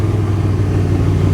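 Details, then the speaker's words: 1991 Chevy S10 with carbureted V6, project truck needing a tune-up; low throbbing idle wavering slightly beat to beat, a weird idle, cause undetermined; irregular idle. "okay here it kind of has a weird idol"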